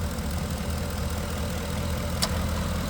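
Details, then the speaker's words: 2010 Ford Expedition with auction-reported engine noise, at idle: low steady idle with a faint light click over it; source not pinned down, seller considers it a typical engine sound. "The auction said there was a motor noise. I think they're nuts. You're welcome to listen to this. Maybe they're talking about that click in there."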